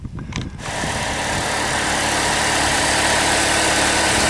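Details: 2006 Chevy HHR at 83,000 miles, started after serpentine drive belt replacement. Quick crank, then the engine catches and settles into a smooth, steady idle with no belt squeal or chirp; runs normally.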